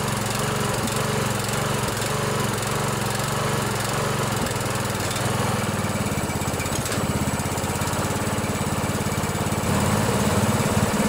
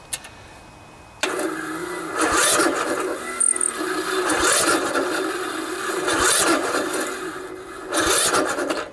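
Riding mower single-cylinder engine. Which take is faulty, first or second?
second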